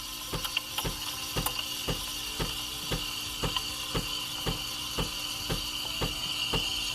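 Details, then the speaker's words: Breville Barista Express steam wand frothing milk for latte, wand tip about 1 cm in the milk, pitcher adjusted for the hiss sound: high steady hiss with soft regular ticking about twice a second as air is drawn in; normal, proper frothing. "and feel the temperature by holding the pitcher occasionally you can introduce more bubbles by that hits sound that looks good"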